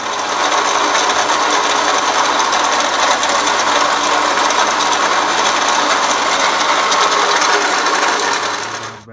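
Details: 2007 Toyota Camry 2MZ-FE at idle, before water pump and idler pulley replacement: constant tinny metallic rattle from front of motor over idling engine; worn water pump bearing.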